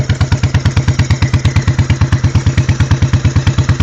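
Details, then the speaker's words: 1986 Honda Shadow 1100 V-twin, high mileage, slightly warm, mic near exhausts: heavy thumping about six beats a second with lopsided hollow note, one cylinder sounds like it's sucking in and missing; compression 125 psi both; cylinder misfire. "this exhaust here sounds funny compared to this [Music] one this one here sounds like a sucking in cuz the cylinder's missing"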